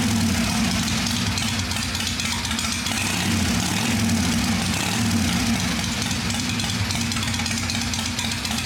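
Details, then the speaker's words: "Little 81" idling after a clean-up and tune-up, even steady low throb with no ticking or knocking; some oil spewed out earlier but has stopped, owner says she's quiet and sounds good: normal idle. "So, but she's quiet. She sounds good. I can't wait to take it out for a ride."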